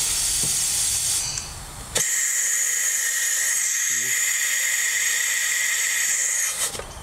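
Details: 2003 Porsche 996 Turbo boost leak test: system pressurized, then fingers lifted off two ports give a sudden sharp, steady hiss of escaping air; a failed check valve is leaking boost pressure.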